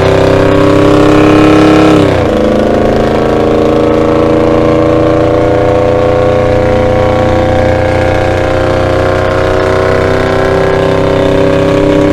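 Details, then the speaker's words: 1975 Dodge D100 with Holley Sniper EFI on a freeway acceleration run. The note drops at a gear change, then climbs smoothly with no hesitation. Owner suspects the earlier limit was fuel starvation from fuel sloshing away from the bottom pickup. Normal acceleration. "it's definitely running a lot better I wonder if I was just getting fuel starved and that fuel going backwards in the tank"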